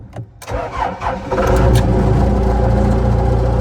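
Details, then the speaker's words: Bomag Hypac sheepsfoot vibratory roller diesel whose starting-relay fuse keeps blowing: silence, then a brief crank after wiggling the fuse in its holder, and it catches into a steady idle; bad fuse-holder contacts cut the circuit and blow the fuse. "Okay, so if we wiggle the fuse in the slot, it starts. So there must be some bad contacts in here. That's what's causing the fuse to blow."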